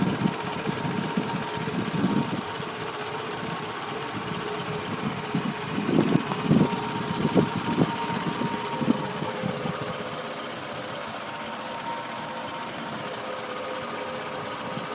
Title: Rough Idle Camry